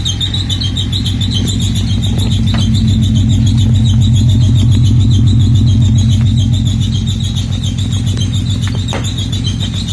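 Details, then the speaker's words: Nissan G project car on its first start, with knock sensor and camshaft sensor problems found later: the engine idles steadily with a faint repeating high chirp, a squeal of undetermined source. "well she's a little squeaky but she running"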